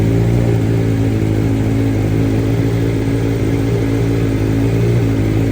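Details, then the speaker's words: 2023 BMW M1000RR Competition with free-flowing exhaust, after BT Moto handheld flash, fully warm: low, steady, even idle with clean rumble, no popping or rasp that stock flash had; slightly jumpier than stock but normal. "really sounds good now doesn't have that crazy raspy sound that pops now just has a nice low idle"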